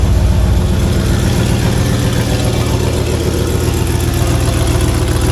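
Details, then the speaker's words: 1985 Monte Carlo with a single-turbo 4.8 V8 and 4L80E, being fixed for not making boost: loud lumpy idle with a sharp regular puffing tick on each firing pulse; exhaust leak, possibly at an unused O2 sensor plug. "leak somewhere. Yeah, there's definitely a leak somewhere. Right down in here."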